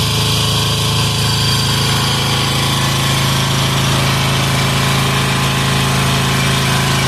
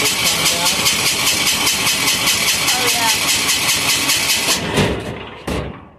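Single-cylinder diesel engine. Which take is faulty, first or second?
second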